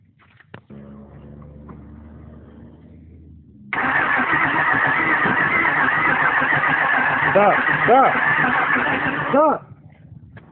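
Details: 2002 Mustang GT that won't start despite new fuel pump, new spark plugs, relays checked and fuel present; steady starter churn for about six seconds at an even beat, engine never catches. Crank, no start.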